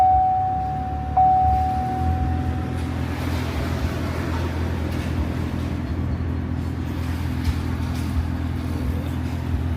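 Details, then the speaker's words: 2014 Chevrolet Silverado idling with AC on full after AC actuator replacement: cold air but a steady low hum from the blower motor; owner suspects leaves in the blower fan. "We definitely got cold AC blowing out, but y'all hear that humming. So, I got to pull my thing out over there. My uh blower is messed up."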